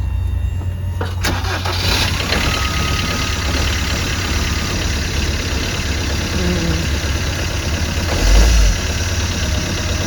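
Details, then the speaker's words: Peugeot Bipper Tepee automatic, auction purchase with two former keepers: engine fires and idles with an uneven, rough clatter underneath on start-up, sounds ropey, cause not yet clear. "Turn it on, start it again, Joe. Sounds a bit ropey."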